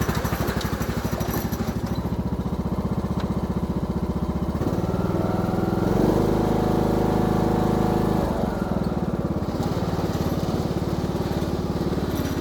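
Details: Craftsman YTS3000 riding mower said to have a rod knock, owner suspects valves need adjusting instead; freshly restarted single-cylinder engine runs with a steady, even thump and no knock, rising briefly in pitch: normal running.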